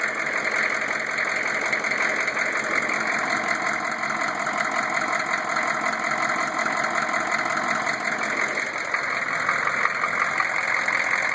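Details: Newly installed rebuilt GM 6.5 diesel V8 at idle, recorded from below with the inspection cover off; dull, fairly even knock near two per second under steady clatter, source unclear; rear rockers get poor oil flow; no cracked flexplate, loose converter bolts or broken rocker buttons.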